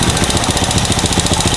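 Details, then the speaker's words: Honda Supra motorcycle, new carburetor, owner complains of fouling plugs: quick even putter at steady idle with air screw at 1.5 turns, the normal setting, no misses or hunting; normal idle. "Nah, ini settingan ideal normalnya Supra kayak gini itu di 1,5 putaran. Tapi ini kalau kita dengar dari suaranya ini masih berpotensi bisa naik lagi RPM-nya."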